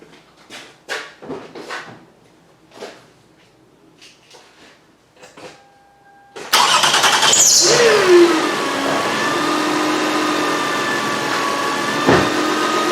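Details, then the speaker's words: 2007 Toyota Highlander 3.3 L, died on road, battery recharged overnight: at start-up engine settles to fast idle with thin whistling whine sweeping down as revs drop, same sound every start; voltage 12.58 V, not charging, alternator suspected. "That doesn't sound too well."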